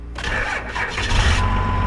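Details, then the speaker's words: Diesel service truck, first start after a transmission swap from another truck, 6 quarts of fluid added, grid heater warmed first: short crank, clean catch, even low idle, no weird noises or grinding. "Oh, nice. Very nice. Fantastic. No weird noises, no grinding."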